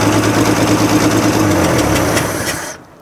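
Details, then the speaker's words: 1965 Chevrolet C10, 292 inline-six, first start after years abandoned, carb cleaned, low oil topped up: rough idle with sharp puffing tick about three per second, exhaust leak at the exhaust manifold. Exhaust manifold leak. "I would say that's a good engine so definitely would say it's got an exhaust leak uh sounds like it's right here right out of the exhaust manifold"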